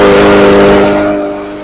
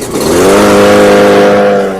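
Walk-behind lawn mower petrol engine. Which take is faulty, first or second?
second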